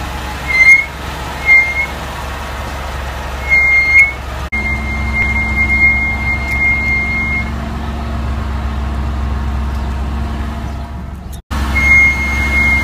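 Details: Ford Escape rolling slowly: a thin high squeal comes and goes in short bursts, then holds for several seconds; brake squeal recorded over several days.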